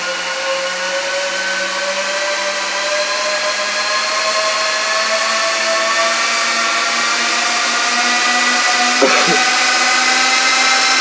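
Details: 2006 Apple Xserve A1196 server booting a Snow Leopard disc: loud, steady fan roar with a high whine climbing slightly as it spins up, then holding; fans stuck at full speed because the heatsinks lack temperature sensor wires.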